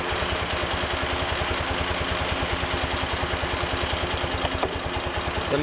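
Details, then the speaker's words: BMW R90 boxer twin after top-end refresh, carbs already balanced, during Harmonizer carb synchronization: slow, loping idle with evenly spaced low thumps, barely ticking over; very low idle speed needs raising. "how slow this idle is"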